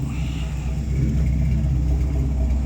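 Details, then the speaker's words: 1958 Ford F100 V8 idling at about 500–550 rpm with the fan relay installed: a deep, slow, steady rumble; the generator light glows because voltage is too low at idle, and the owner may raise the idle to about 600. "My generator light's on apparently because I'm not putting out enough voltage. It's getting dim, but idle. I might raise the idle up. I don't know. The idle right now I think is at like 500, 550."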